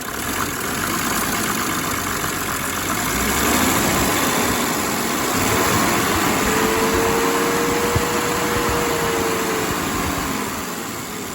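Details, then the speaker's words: 1987 Mercedes 300 SDL OM603 six-cylinder diesel idling after replacing a squealing remanufactured alternator (likely dented bearing shield); even, steady idle with soft regular clatter and no squeal left, runs smoothly. "And no more squeal. That is what that was. I love the 6-cylinder engines from Benz. They're just smooth as silk."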